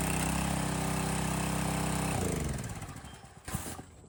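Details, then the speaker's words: Landworks 20-ton log splitter small gas engine, new, after filling hydraulic fluid and bleeding air: runs with even steady beat, then winds down cleanly at shutoff; works well. "I'd say that worked pretty good."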